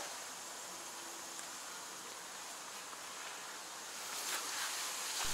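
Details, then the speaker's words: KamAZ 5490 Neo 2 truck, engine running: a steady, sharp, non-pulsing hiss of compressed air escaping somewhere in the air system; an air leak whose circuit is to be traced after switching on the ignition. "шипит слышите как здорово слышно потом включу зажигания посмотрю какой контурной потом можно будет определить вообще откуда он шипит"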